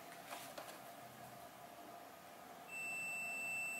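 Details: Samsung TV with no picture, normal sound and working backlight: the multimeter's buzzer gives a steady high tone of about 1.5 s on the outermost capacitor, showing continuity, so the capacitor is likely shorted.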